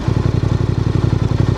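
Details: Voge DS625X motorcycle after crash repairs (coolant leak), idling at a roadside stop during a shakedown ride while coolant level is checked: even, lumpy thump around eleven beats a second, no rattle or miss; healthy normal idle.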